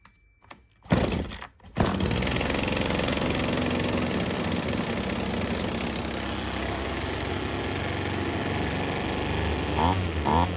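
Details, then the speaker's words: Old Husqvarna two-stroke weedwhacker after a carburetor kit replacement and primer check, first start with the choke. A couple of pulls, then it catches and settles into a steady, buzzy idle. It runs. "Yeah, it works."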